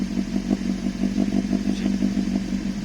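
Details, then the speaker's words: Toyota 2E with 272 duration TRD performance camshaft after valve clearances set, startup; choppy loping idle about three pulses a second, hunting, needs throttle to keep idling, flames at idle; lumpy performance cam idle. "she doesn't want to stay down she's she's definitely i can feel her man she's a um pretty uh lumpy cam for sure i have to keep my foot on that just to keep that idling"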